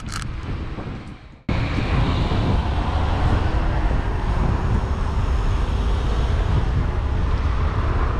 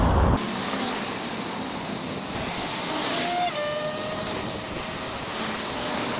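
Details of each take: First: Xerider E-Flex electric scooter on road test, GoPro mounted: steady ride hum and wind rush, then a thin high squeal as the brakes bite, an annoying brake noise; motor itself silent. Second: Xerider E-Flex electric scooter on a road ride, GoPro mounted: mostly wind and tyre rush with only a faint brief motor whine; the motor is quiet and healthy.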